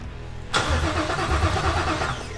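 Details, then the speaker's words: 7.3L Godzilla V8 swapped into an S550 Mustang with new camshaft, valve springs and Centerforce twin-disc clutch: first crank with fuel hooked up but injectors unplugged, checking for spark; an even two-second cranking chug that never fires, no RPM reading. "so that was the very first time we've ever tried cranking this thing with fuel hooked up obviously I don't have the injectors plugged in but we wanted to see if it even would spark"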